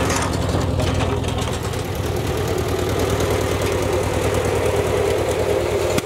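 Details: Ford Jubilee tractor driving the mower through the PTO after a carburetor replacement: steady laboring drone with cutting clatter over it, no bogging or stalling. Previously it stalled under load; the carb still needs adjustment, and the owner thinks it will pull enough to plow.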